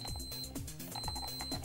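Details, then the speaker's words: KSGER T12 soldering station after the earth modification, tester from the IEC socket earth pin to the case and front screws: steady high beep through background music; continuity confirmed, case properly earthed and safe. "we have a fully earth and safe case near the front perfect so now you have an earth compliant device safe to use"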